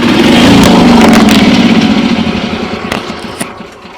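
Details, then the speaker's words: Yamaha gas golf cart with a noise, listened to via broomstick on the engine: small single engine runs at a steady, even beat of about four pulses a second, no knock or rattle; the noise is not in the engine itself. "And the noise is most definitely not in the engine itself."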